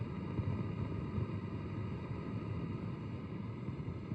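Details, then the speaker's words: Marshall DSL5CR 5-watt valve amp with all new JJ valves installed, volumes at zero, nothing plugged in: constant low grumbling rumble with uneven flutter, unchanged by retubing; owner suspects something other than tubes. "And there it is. The same old grumbly rumbly flutter."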